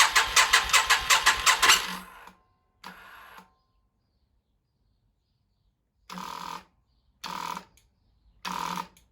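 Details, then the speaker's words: Yamaha XV 535 Virago barn find, laid up about 10 years since October 2013, first start with fresh fuel, leaky hose: quick cranking about five pulses a second then three weak bursts, no start; owner suspects weak battery. "Hm, ihr habt's gehört, das Motorrad springt nicht an. Nun gut, der erste Startversuch ist schon mal fehlgeschlagen."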